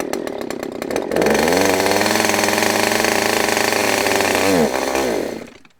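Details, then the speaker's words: Used Husqvarna chainsaw said to need carb work, started on choke: few pull-start rattles, then fires and holds high, slightly wavering buzz with uneven revs; running a bit rough, possibly needs tune, not confirmed. "Oh, sounds like it needs a little tune maybe, but that might be about it."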